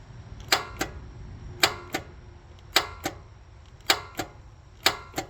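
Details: Kawasaki FX850V mower engine, nearly 1600 hours, battery fine, died on the job: five key turns each give a sharp double click with no cranking, a failed starter.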